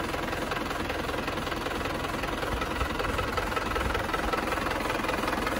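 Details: Even diesel clatter at idle, about two and a half beats a second, steady and smooth with no heavy knocks, on a Panther diesel engine after a second engine rebuild; no longer blowing oil, sounds healthy.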